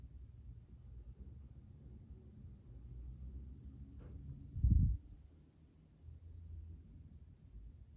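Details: Top-floor corner unit of a 10-storey condo built in 2020 in Montreal, living room, 6 pm: quiet room hum, then one heavy dull thump from the ceiling; the banging moves around the ceilings, boilers and AC aren't above the unit, source unknown.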